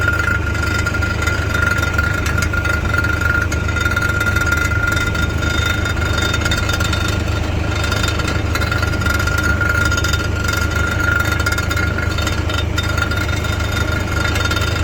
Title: A Rattling Noise Inside the Exhaust